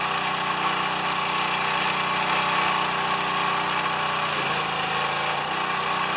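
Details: Pressure washer, first start since last year, unloader working: small engine holds a steady even buzz with a brief dip under load, running cleanly without surging; runs well, normal running.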